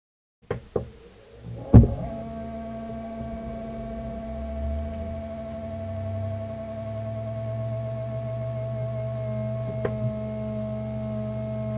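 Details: Shuttle X Pentium 4 PC running Windows 98, powered on after a video card repair. A steady low hum with a thin whine above settles in and holds constant; a noisy power supply is likely.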